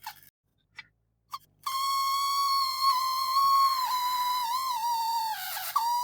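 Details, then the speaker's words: Addams Family Thing coin bank, small motor after resoldering: thin high-pitched squeal starting abruptly and wavering in pitch; motor still making the same funny noise as at first test, cause unknown. "Why is it making that noise? Doesn't sound great, does it? Why Why would it make that noise?"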